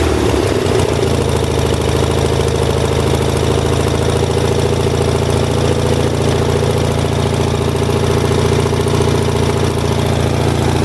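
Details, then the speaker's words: 1978 Lincoln Lincwelder 225 engine welder, cold start after spark/ignition problems fixed, carburetor not fully adjusted: brief start-up flutter then smooth, even run with steady low drone; healthy. "so anyways we'll roll this out and we'll fire it up and this is going to be a cold start"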